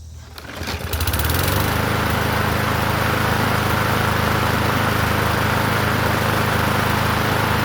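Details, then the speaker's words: Murray 21-inch push mower with an engine stamped 125, running fast after its tank and air cleaner were cleaned: buzzy metallic rattle from the vibrating muffler cage; the fix is to tighten its bolts. "The the muffler cage is is vibrating. So, I have to tighten those the bolts down on that and that should keep that from rattling."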